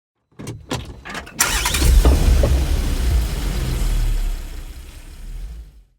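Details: Engine cranked by the starter with steady, even pulses, about three per second, for several seconds, but it never fires. Cranks, no start.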